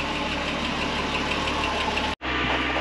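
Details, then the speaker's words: 1963 Ford Falcon Ranchero with new exhaust, old gas in tank, before test drive: steady idle with faint uneven patter over the hum, no clear misfire pattern; rough idle, owner says it needs carb tuning; cause unconfirmed. "well I think it'll run good enough to take it for a test drive I'll get it off these jack stands clear my driveway and I guess we'll take her for a spin definitely needs some carb tuning"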